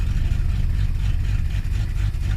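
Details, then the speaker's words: Carbureted 1980s Mustang, cold start in winter with the accelerator held about 10–20%: deep, uneven idle that wavers and shudders; rough cold idle, and the owner suspects the carburetor. "when i start it i hold down the accelerator until it stops shaking like can you hear that because if you can hear that you can hear it it's not right"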